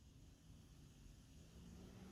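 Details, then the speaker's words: LED PC fan at bottom speed: quiet, steady low whir with faint even hum, no ticking or rattling; normal. "and that's maximum speed kind of noisy but not too bad in inside of a case you won't really notice it"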